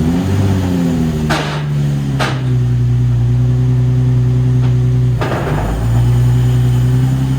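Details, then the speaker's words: Salvage Nissan 350Z drift build, first drive after clutch work: engine pulls steadily with sharp scraping bursts on shifts; grind into third from clutch not fully releasing, pedal throw later readjusted to fix it. "So I adjusted it a bit more after that run, and I got rid of that little grind that you heard in third."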